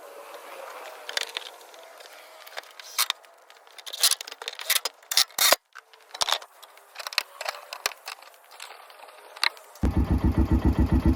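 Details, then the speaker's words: 2011 Kawasaki Mule 610 XC, 1,000 hours, after engine oil leak repair: restarts after clicks and scraping, settles into even steady idle with no misses, no oil leak at seam. "I have it back started. I'm looking at the seam where it was leaking before. No oil leak."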